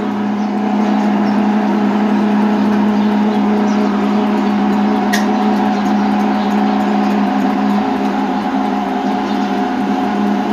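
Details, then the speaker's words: Electrolux LTC10 washing machine makes a loud, steady low hum with a buzzy edge as it starts draining before the spin, caused by a worn drain pump bushing; the fix is replacing the drain pump. "hoje eu vou mostrar para vocês como resolver o problema de barulho na lavadora ltc 10 Eletrolux no momento que ela começa a tirar água ela começa fazer um Ron"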